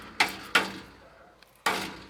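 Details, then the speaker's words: Corvette that won't start (ignition control module replaced), cooled exhaust: three hand knocks on one catalytic converter, each followed by dull metallic buzz; something loose inside the housing, other side sounds normal. Catalytic converter rattle. "One of the catalytic converters had this really weird rattling sound and it got quiet."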